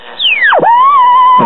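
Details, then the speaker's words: 1968 USA-made Motorola AM table radio tuned to a weak station: high whistle swoops down in pitch then holds a steady squeal over the station, another station also acting up; heterodyne squeal, cause not yet traced, set to be opened. "yeah we got a little squeal on one station and it sounds like it's trying to act up on the other station so let's open it"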